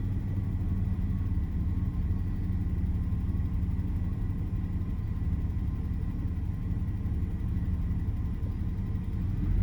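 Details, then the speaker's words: Daimler (Jaguar) XJ40 that lost power going uphill and left the owner stranded. Running on the fuel prime with no fuel pump heard, it has a low, uneven idle that stumbles and shakes, juddery as on the hill; misfire. "The way it's running right now, this is exactly how it felt when I was going up the hill. It was juddery and sort of shaky."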